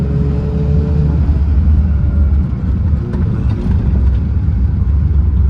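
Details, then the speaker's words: Mazda FC RX-7 with welded rear differential, before a Mazdaspeed 2-way LSD install, driving a sharp turn: low road rumble with scrubbing tire chirps as the rear end binds and hops. It is also jolty on and off throttle. "I'm gonna take a sharp turn. You can hear the rear end."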